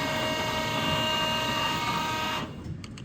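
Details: 15" x 54" LeBlond Makino Regal Servoshift engine lathe, hydro-shift, wired for 220 volts: smooth, steady gear whine holds even, then drops away as the spindle shifts to a lower speed; normal spindle running.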